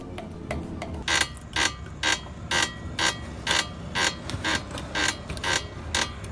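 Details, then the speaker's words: Car lifted, wheel rocked by hand: sharp metallic clunks about twice a second in time with the movement; lower ball joint worn loose, with play in its joint. "en algunos carros la rótula se daña de manera rígida y se pone muy dura que al momento de girar el volante necesitas mucha fuerza y al girarlo se puede escuchar un ruido Como este"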